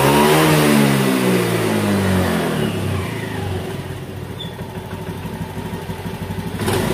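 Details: 2018 Honda Beat that lost power at high rpm from a faulty TPS, after the TPS workaround fix: engine spins up strongly, then settles to a steady even beat with clean pickup; revving healthy.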